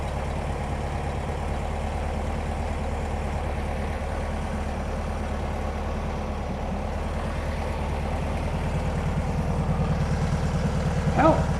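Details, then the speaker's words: 1971 VW bus after sitting over two years, with a new carb, tune-up and fresh premium fuel, just started on choke: steady low flat-four putter at idle with an even beat and no knocks or misses. "idle sounds perfect I might tweak it a little bit but as of right now it sounds good"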